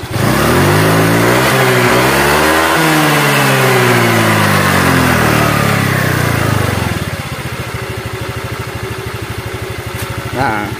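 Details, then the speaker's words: Honda Vario 125 after valve clearance adjustment and CVT fitted with lighter KWN rollers: revs smoothly up and back to steady idle with no rattle on throttle release; CVT now healthy, ready to ride. "Oke sudah Sip sudah halus dan siap dikendarai"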